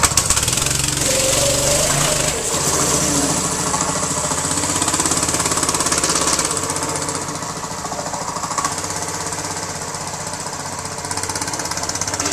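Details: New 6.5 hp single-cylinder engine, choked and started in one to two pulls, then driven: steady putter that picks up and settles with throttle, no knocks or rattles; runs clean.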